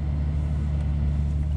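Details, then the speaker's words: V12 BMW 7 Series idling after fixing a no-start caused by a fully drained battery from sitting unused: low, steady, smooth hum with no ticks, knocks or hunting; normal idle. "everything seems to be working fine i'm just doing the health check on the kali"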